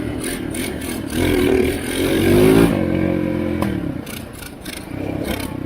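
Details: Chinese ATV abandoned 7 years, first test after reassembly: uneven revving from a small air-cooled engine with sharp pops and crackles. It backfires heavily, cause not identified.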